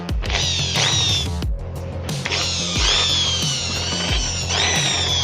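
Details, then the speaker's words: Hand drill after repair of worn casing screws that had loosened the bearing and caused a growling noise: revs in short trigger bursts with a clean, even whine, now smooth like new. "sekarang Le suaranya lebih halus seperti baru lagi ya"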